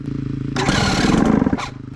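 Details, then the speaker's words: Yamaha YZ250 two-stroke with Panthera Motorsports electric start, cold morning at 34°F, choke on, after a few failed tries: starter cranks in quick even pulses, engine catches with a crackling roar; lithium battery warms and starts it cleanly. "there that lithium battery is doing its thing [Laughter] yeah that's awesome it took a few times but like i said that's how that goes"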